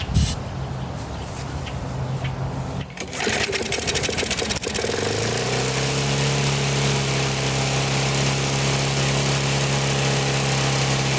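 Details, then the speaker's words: Older Briggs & Stratton 3.5–4.5 hp lawnmower engine with metal tank, after carburetor diaphragm replacement and cleaning: catches after a few coughs, then runs fast, high-pitched and unstable; overspeeding, governor spring set too high and needs loosening. "All right, that's definitely too high. So we have to loosen the spring a little."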